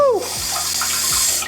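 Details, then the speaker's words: Newly installed bidet attachment on a toilet, first test after running the spigot-sanitizing mode, described as rough and powerful. A loud, steady hiss of spray with no sputtering or pressure drop. Normal spray. "This one sanitizes the spigot, so you can use that, and then, whoo, that is that's rough. That's tough, man."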